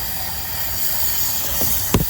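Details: Mazda 3 2.2 Skyactiv diesel after carbon cleaning, engine off, leak-down test: constant loud hiss of air escaping through the intake port, one thump near the end; 65% loss, intake valve suspected cracked.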